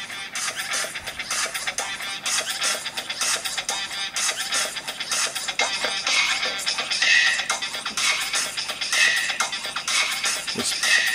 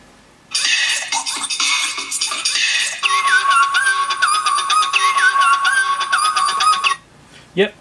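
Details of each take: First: Apple MacBook Pro 13-inch 2009 playing music through internal speakers before replacement: harsh, crackly, very poppy and distorted with smeared top end; speaker blown, suspected overheated and melted after long music playback. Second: MacBook Pro 13 2009 playing music through a loose replacement speaker: clear playback with no crackle, rattle or buzz, confirming the original speakers are blown and the audio circuit works.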